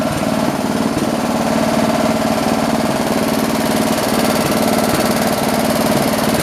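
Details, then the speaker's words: John Deere 112 round fender tractor with a Kohler K181 single-cylinder, after governor and throttle assembly adjustments: an even, steady thump at constant speed with no hunting or misses. Running normally; the owner thinks the idle needs lowering a little. "got it running again let's try it out this time [Music] [Music] so cool i think we need to lower the idle a little"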